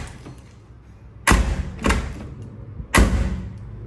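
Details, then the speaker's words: Hyundai HB20 front door slammed three times gives a loose, hollow clunk instead of a tight click, unlike the silent rear door; door doesn't close properly, latch (fechadura) is totally loose like an old car. One fix option: replace the latch. "Qual o barulho que ela faz quando você bate a porta ela tá totalmente solta e faz esse barulho barulho de carro velho"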